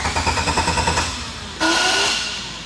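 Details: Honda Del Sol six-speed, not run in four years, ignition parts and injectors already replaced: starter cranks evenly about six beats a second without firing, because the tank was out of fuel; engine ran healthy once fueled.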